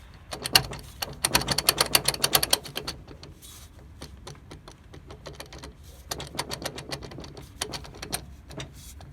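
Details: Front driveline of a 2002 Dodge Durango R/T with 135,000 miles gives bursts of rapid, sharp metallic clicking and grinding while driven, with quieter gaps between.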